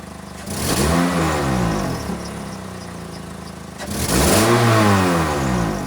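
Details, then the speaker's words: 2006 Toyota Corolla E120 petrol engine, cold, no codes, also slow to start: blipped twice, its revs waver and stutter instead of climbing cleanly, a stumble off idle. "when it's cold it does that so it it kind of stutters"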